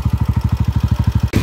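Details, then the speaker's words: Honda TMX 155 single-cylinder motorcycle before repair: very noisy, especially when revved, with a rough, lumpy beat and harsh mechanical clatter blamed on the timing gear; timing gear set later replaced. Timing gear noise. "So yung issue nito kanina, napakaingay, lalo na pag nire-revolusyonan. Yung timing gear ang maingay."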